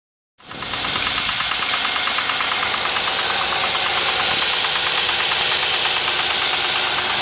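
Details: Audi A6 C6 engine knocking on a cold morning start; fast, fairly regular metallic ticking about four per second over a steady cold idle, cause unknown.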